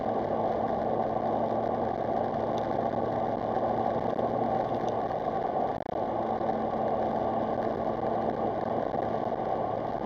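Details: Car after DIY repairs, including replacing badly corroded, rust-bleeding coil packs: even, steady engine drone on a gentle drive over Snake Pass, with no stumbles, pops or uneven beats; no misfire.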